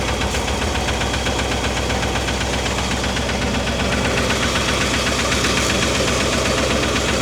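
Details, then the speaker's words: Old Ford 260 V8 in a Mercury after new lifters, timing being corrected, lifters now oiling: light regular ticking two to three a second over a steady idle; valvetrain tap from rockers still needing adjustment, carburetor and point gap untuned. "Sounds a little better, not great, but so I'll go through it and I'll get these adjusted."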